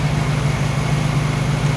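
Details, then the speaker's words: Warm new 1600cc engine in a 1968 VW Karmann Ghia during break-in, lower idle set: smooth, even low chuffing beat at steady idle, no ticks or rattles; normal idle. "I'm gonna let her idle like this for another 15 minutes anti-climactic but she kicks off and she runs no weird squeaks no weird rattles"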